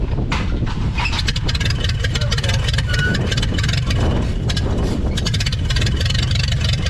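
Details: 1930 Ford Model AA doodlebug four-cylinder, revived after 72 years abandoned in woods: loud, steady low rumble with even firing beat, no knocks or misses; runs like the day it was parked.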